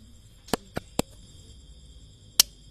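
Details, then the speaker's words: One-door refrigerator, light on but not cooling (29.8 °C inside): plugged in, it gives a few sharp dry clicks at uneven intervals with no compressor hum taking over; the start relay clicks but the compressor never starts. "lampunya hidup tapi gak dingin dan disusul dengan bunyi Cak cok Cak cok"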